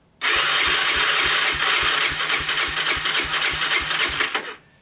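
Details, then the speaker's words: Honda Big Red ATC250ES single cranking steadily, about three and a half pulses a second, never firing on choke; fires on starting fluid, so spark present; fuel starvation from brown sticky gum in carburettor and intake, fixed by cleaning. "So, obviously, it doesn't want to start. Normally at this point, I do a quick, pop the seat, pop the air box, and give it a little hoot of starting fluid. What this does, this will tell you if you have spark or not. So it will start with starting fluid, but it will not start with choke."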